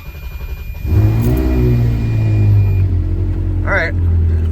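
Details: Ferrari 360 after dead battery recharged with trickle charger, cold start next day: short crank, clean catch and quick flare, then settles into a smooth even idle; starts and runs normally.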